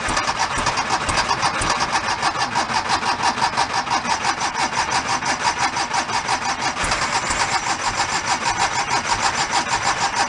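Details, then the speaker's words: 1976 Porsche 914 converted station wagon, long-parked, cranking with fuel dripped in since fuel injection not expected to work; ragged chuff about twice a second that catches but never smooths out, sounds like firing on only one cylinder. "let's go I'm gonna give a little bit more and then we're gonna look into only firing on sound like one"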